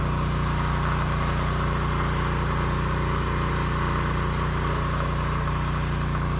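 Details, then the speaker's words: Husky portable generator that sat 5 years with bad fuel and a leaking gas tank, after carburetor cleaning, fuel-flow fix and a new governor spring, run outside: steady, even drone with no hunting or misses, output close to 61 Hz, running healthy. "Close to 61, so I could push it a little bit more, but I think that's good."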